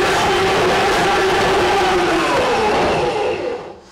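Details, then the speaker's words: Ridgid K-7500 drain cleaner, 600W universal motor, cable 200 RPM, 3/4-inch inner-core cable run manually: steady motor whine sags in pitch as cutter bites the obstruction, showing it is working; normal loading. "pay attention to the tone of the machine and you will hear when it whines down okay that means that it's actually trying to work"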